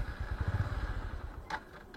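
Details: Honda Livo 110 carbureted motorcycle with fuel line shut off and disconnected to empty the carburetor: small single sputters unevenly, fading out after a second and a half, then won't restart; fuel starvation no-start.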